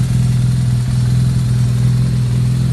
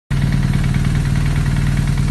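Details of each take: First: 2009 BMW R1200R boxer twin after gearbox repair (knocking/rattle fixed, new damper, bearings, clutch disc): steady, even low thrum at idle with no knocks or rattles; gearbox sounds healthy, throttle sync not yet done. Normal idle. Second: 2009 BMW R1200R boxer at idle: fast, even rattle in the gearbox that stops with the clutch pulled in and returns when released; clutch damper suspected failed, gearbox repair with a newly made damper.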